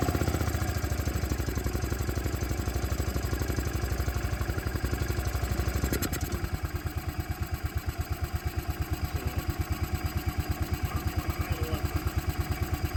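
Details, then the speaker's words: Bobcat Pioneer (Club Car Carryall) two-wheel-drive UTV, marketplace revival, in neutral with parking brake on: uneven chuffing idle near three beats a second, sagging midway and struggling to stay running; dies when revved, runs better on choke, cause unconfirmed. "what that is idal does not like something still haven't been able to test the transmission but I can't rev it up without it dying"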